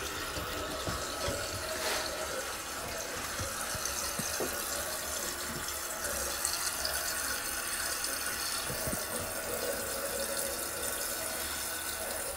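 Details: Toto one-piece toilet after new flapper and fill valve replaced a whistling fill valve: soft steady hiss of water refilling the tank, no whistle or squeal; quiet, normal refill.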